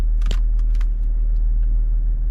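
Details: 2004 Range Rover L322 with air suspension inactive fault, raising suspension with engine idling: even low drone of compressor in rear, no knocking, rattling or labouring, raised quickly and stopped after about 20 seconds; compressor running normally.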